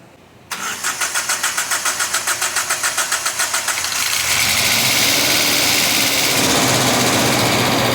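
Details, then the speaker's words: Toyota Hilux first start after installing cylinder head and timing chain: after cranking it catches with a sharp tick three or four times a second, expected to quiet as hydraulic valve lifters fill with oil. "So maingay pa yan kasi valve lifter yan. So kapag na-build upan na yung mga lifter ng langis, ay titining na yan."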